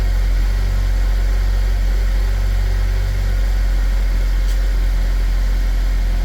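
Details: 2010 Chevy Equinox, about 112K miles, oil consumption and blow-by, restarted after Seafoam carbon-cleaning treatment: deep steady idle with even low rumble, no ticks or knocks, running smoothly.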